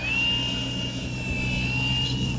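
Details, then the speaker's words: Starmax 1600mm P-51 Mustang Gunfighter RC plane, third flight, right after takeoff: steady high motor whine drifting in pitch over low rumble, awful noise with loss of power; owner suspects improper ESC timing setting, changed ESC settings and motor now seems fine. "what was that that doesn't sound good"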